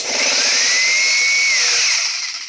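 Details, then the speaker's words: Air compressor started through an 1800 W inverter via DIY soft start using two 1500 W non-digital heaters: loud motor whine climbs nearly to speed, then sags and dies as the inverter overloads; inverter not blown, compressor needs more than 1800 W. "and we overload the inverter so we got to the point where the inverter can only search for a few minutes or a few seconds i mean and does it turn back on yes it does so it's not blown"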